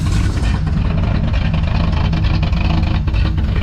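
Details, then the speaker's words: 1972 K5 Blazer carbureted V8 with suspected stuck carburettor floats fouling plugs, running fast; loud, deep, uneven idle rumble with open, unmuffled exhaust pulses from the blown-out muffler. "This thing sounds pretty good. So with that old blowed out muffler."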